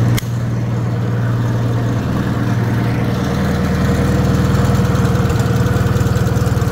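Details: Rebuilt Wisconsin THD air-cooled engine on a bench, babbitt and shell-bearing rods reused, factory aluminum head swapped for a flush cast iron head; starts straight away and runs even at about four pulses a second, no knocks or rattles, quieter than before: healthy running.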